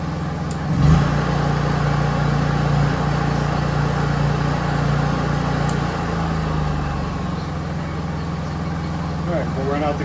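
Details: Honda EU3000is inverter generator after a Nashfuel propane/LP conversion kit install: even, steady hum with a low drone that settles lower around six seconds; smooth running with no misses or knocks.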